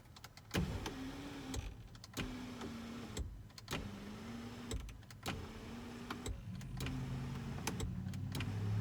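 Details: Mercedes W211 E63 AMG panoramic sunroof motor after the grinding fix, a washer added on the bolt: short bursts of steady hum with soft clicks at start and stop, running smoothly.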